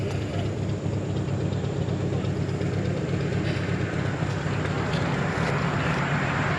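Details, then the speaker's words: 2008 Infiniti G35 coupe with a crank-no-start after the shop replaced the fuel pump and verified fuel pressure: the cranking lumps unevenly at about two beats a second and never catches; the odd cadence points to an engine mechanical fault, with the engine out of time. "the cadence of the engine sounds off so i kind of want to start there and just see what everything looks like"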